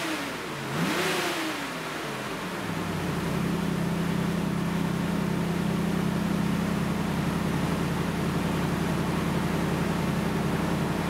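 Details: Dodge Ram V8 after a service with all 16 spark plugs and the filter changed: the starter whirs, the engine catches and settles into a steady, even rumble with a smooth rise on the throttle; sounds healthy.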